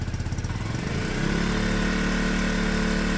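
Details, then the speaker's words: Peugeot Satelis barn-find scooter just started after immobiliser work, automatic choke; uneven pulsing idle settling to steadier drone, won't rev cleanly, owners think it's still warming up. "yeah it don't want to R though might just be warming"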